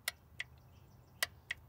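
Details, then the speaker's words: 1990 Oldsmobile Custom Cruiser wagon, 403 engine, 200-4R transmission, key in run, no fluid in the TCC lockup solenoid: four crisp dry clicks in two pairs as the solenoid energizes and releases with current applied; normal solenoid operation. "now the key is in the run position if you listen carefully there's no fluid in it so you'll be able to hear an audible click see that's your lock up solenoid and that's all i'm doing"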